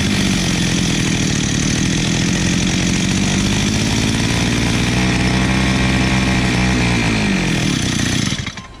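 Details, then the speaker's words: 43cc two-stroke brush cutter (Husqvarna/Tramontina-type import) during carburetor adjustment, mixture screws set around one and a half turns: screams at high revs, pitch wandering and sagging as the screw is turned; carburetor out of adjustment. "Bom, vocês perceberam aí que quando eu abri a máquina, quando eu fui mexer na regulagem, ela saiu da regulagem, certo?"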